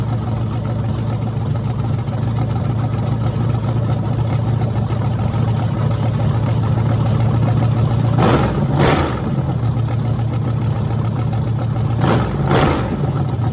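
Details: Freshly rebuilt small block Chevy 350 (355) for an OBS Chevy truck, on an engine run stand: even lumpy idle with two quick throttle blips that settle smoothly. Normal running.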